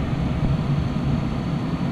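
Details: 2010-2012 Dodge Ram after blend door actuator replacement, defrost mode selected: steady, even low rush of air with no clunks or taps from behind the dash; blend door and blower normal.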